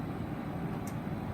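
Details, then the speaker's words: Portable AC running in cool mode, holding about a 25-degree split, steady even hum and airflow rush with no rattles, squeals or cycling; normal cooling operation. "So right now it's running. It's doing quite well. It's hovering about a 25-degree split. That's really not that bad."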